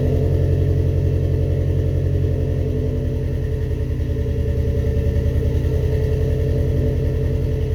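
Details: First start-up after rebuilding the cylinder heads: steady low idle with even firing pulses, about three and a half a second, and no knocks or ticks over the rumble; normal idle.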